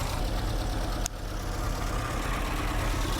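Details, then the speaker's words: 1960 Triumph TR3A, long barn-stored, idling after radiator work; uneven extra noise in the low rumble, oil pressure just over 50, temperature unknown; water pump suspected, later confirmed by stethoscope as water pump bearing. "I don't like the sound. Sounds like the water pump. It's something else. We'll see. Something is making a noise."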